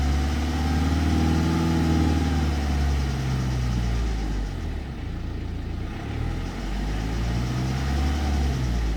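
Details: 2009 BMW 320d E90 N47 diesel, 67,000 km, at idle: fairly regular clatter about four times a second over the low hum; owner asks whether it is a slack timing chain or normal, unconfirmed.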